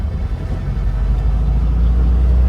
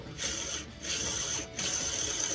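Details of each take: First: 1966 Volkswagen 11-window bus, air-cooled, warmed up, road test in first gear after transmission repair: steady low drone, no whine or grinding; the earlier nasty noise is gone; transaxle healthy. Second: Transmission bearing from a 1966 VW bus (Combi), removed after bolts backed out and broke, spun by hand with a dry, gritty ratcheting rattle in bursts; rough, worn bearing, possibly overheated.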